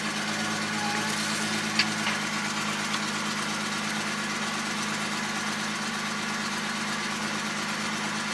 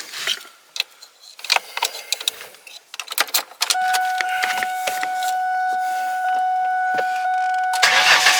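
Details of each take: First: 2002 Ford Mustang after fuel pump replacement via partial tank drop; fuel gauge now reads and it starts fine: steady, even, smooth idle with no knocks or misses; normal idle. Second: 2002 Ford Mustang with the fuel pump inertia switch button popped up to relieve fuel pressure before a fuel pump replacement. The starter cranks steadily for several seconds with no catch or firing: a no-start from the fuel cutoff.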